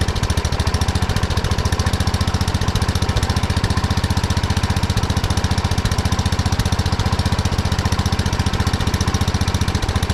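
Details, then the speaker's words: 1979 Kohler K301 12 hp single-cylinder from a Wheel Horse mower, after carburetor cleaning and a new fuel line: runs fast with a hard, even beat, far too quick at idle because the carburetor idle adjustment went too far. "I went a little too far on the adjustment there's a lot of idle I've been trying to adjust it the carburetor a little bit but we'll see what it does now"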